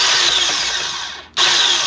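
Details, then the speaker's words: AirJet DLE170 paramotor that would not start: the electric starter whirs at high speed with the engine never catching, and the drive gear spins without turning the propeller. A slipping one-way starter bearing is suspected. "spinning I promise the catch is it's no longer turning the propeller obviously right in here right in there is a a one-way bearing"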